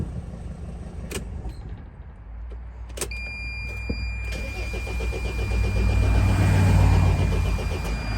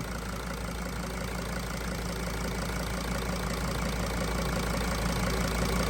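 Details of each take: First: 2003 Dodge Sprinter diesel, hot: steady starter cranking at about four beats a second that swells but never catches; starts only with ether, owner suspects injectors leaking off too much fuel for the high-pressure pump. Cause suspected, not confirmed. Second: 2003 Dodge Sprinter diesel that won't start without ether, owner suspects leaky injectors; cracked fuel filter line replaced: steady, even idle with a soft regular chatter and no misses or knocks; normal diesel idle.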